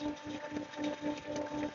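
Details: Jet pump 375 with pressure tank, tap opened wide: steady motor hum with uneven surging gurgle, almost no water coming out; pump drawing air.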